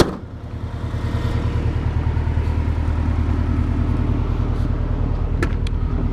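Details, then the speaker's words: Subaru 2.5RS with swapped EJ205 turbo engine, stock apart from turbo inlet, no axle-back muffler, no check engine light: deep, steady boxer burble at idle with even low pulses, no misses or stumbles; healthy idle. "but yeah that the car is running good like I said there's a couple more things I need to fix but it idles really well it starts up every time there's no no glitches at all"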